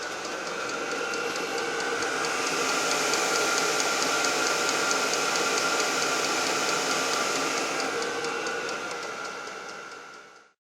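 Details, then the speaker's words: Portable 5 kW Chinese diesel heater running normally, no muffler fitted, heard outside an outbuilding: steady roaring blower with an even fuel pump tick about three to four times a second, which is expected. "this is what it sounds like running i'm not concerned about the tick tick tick because it's an out building"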